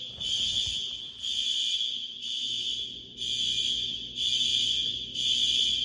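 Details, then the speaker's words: High school fire alarm horns after a new card was fitted with jumpers changed: high blasts about once a second, gaps never quiet as distant horns sound out of step; one side of the building suspected on a separate, unsynchronized circuit. "yeah this whole area back there is still separate from this it sounds like okay well I can hear it from even right here like this your side of the building is completely separate from"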